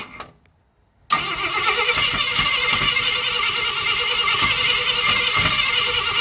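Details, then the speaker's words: 1965 Ford Thunderbird under rebuild, first fire-up with a squirt of brake cleaner: steady cranking with occasional sharper catches, never running on its own. Owner suspects ignition timing is off (no timing light) and a spring that isn't right. "It's close. Yep, it's definitely hitting. Yep. Uh I'm not sure. It don't sound like it's quite timed right."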